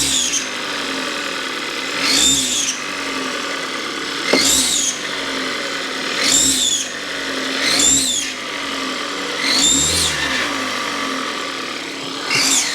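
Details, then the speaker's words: 2014 Kia Forte EX engine with throttle blips: loud, piercing scream rising with each blip and falling back at idle; owner suspects a vacuum leak or loose hose; source not yet found. "something in here is squealing like crazy all right Jessica's gonna blip the throttle for us where is that coming from"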